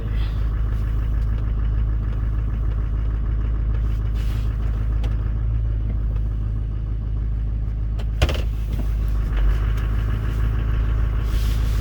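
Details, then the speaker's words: 2005 LLY truck with LBZ Duramax swap, cold, pulling along at a slightly raised idle through a triple-disc torque converter: deep, steady diesel rumble with an even beat and no knocks; healthy diesel warming up. "See, I just love its pulling power when it's cold. The triple disc torque converter just pulls this thing right along at a little bit higher idle."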